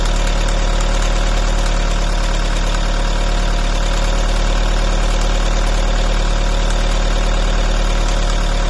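Constant idle with a loose, uneven tapping of roughly three beats a second over a deep hum; something sounds off, but the source is unknown.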